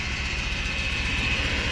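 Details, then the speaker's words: 2002 Chevy Impala LS 3.8 V6 started right after starter replacement: uneven, stumbling idle and shaking, flashing check engine light; leaks under transmission, oil pan, possible coolant leak; engine misfire, rough idle. "go ahead and start it up all right we started but we definitely have a misfire this thing"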